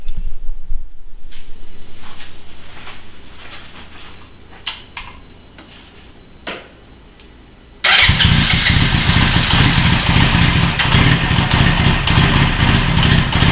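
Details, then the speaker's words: Honda CB900 Custom motorcycle just fitted with Mikuni carburetors: starter cranks, engine catches into an uneven, lumpy run that sounds a little better with choke on; rough running, lean carburetion suspected, not confirmed. "interesting so I mean it runs but it sounds like it runs a little better with choke on"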